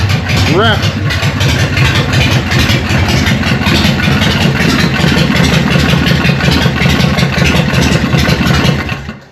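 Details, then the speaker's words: Harley Evo chopper, first start on choke after an eight-month rebuild, through open pipes: a loud, lumpy V-twin potato beat, steady and strong with no knocks or misses; healthy idle. "How good does that sound? What do you reckon, John? What? Fucking loud. I am wrapped."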